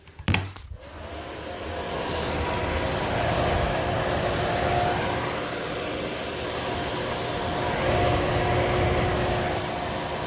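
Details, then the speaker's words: Bathroom vent fan tested with the duct disconnected, no airflow restriction: steady even whirring hum, no rattle or scrape; fan motor works properly, the real fault was a dusty backdraft damper not opening and closing. "so yeah so it turned out that my vent fan is actually functioning properly"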